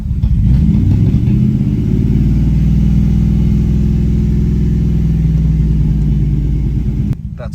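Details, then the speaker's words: BMW V8 after clearing random misfire codes, running with no exhaust fitted: low, even burble at just over 500 rpm idle, steady beat with no skips or stumbles; idling smoothly on all eight cylinders. "happy idol smoothly on eight cylinders at just a touch over 500 rpm"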